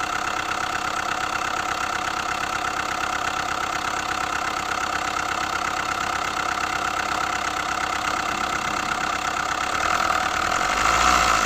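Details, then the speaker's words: Hyundai i20, connecting-rod bearings previously replaced, noise persists, tappet cover removed: steady rapid knock about three per second over idle, louder as revs rise at the end; cause still being diagnosed. "इस गाड़ी की firing सुनिए किस तरीके का noise आ रहा है इसके अंदर यह देखिए बहुत ही ज्यादा नॉइस आ रहा है इसके अंदर"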